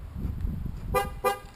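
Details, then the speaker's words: Modified 1998 Corvette, key fobs tested after the battery went dead and they needed reprogramming: two short, bright horn chirps about a third of a second apart. The remote lock works properly. "yeah both of those still working so anyways i don't know why it would have lost program on key fobs just because the battery went dead"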